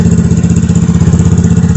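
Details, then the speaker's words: 2021 Vitacci 150cc Chinese scooter after carburetor swap (original 125 main jet reused) and new fuel filter, idling: quick even single-cylinder putter, no stumble or hunting; smooth healthy idle, unlike the old carb with blocked fuel-air screw. "It runs a lot smoother now. It's a different ride now."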